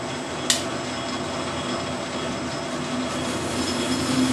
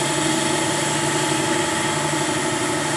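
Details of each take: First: Lathe facing the spindle of a dividing head with a right-hand knife tool under power feed; a steady squealing ring builds under the cut over the motor hum. The tool chatters, changing spindle speed didn't help, and a faster feed cut better. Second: Lathe facing the end of a dividing-head spindle with the thick steady in place because of the long overhang. Steady, even machining hum and smooth hiss with no chatter: a clean cut.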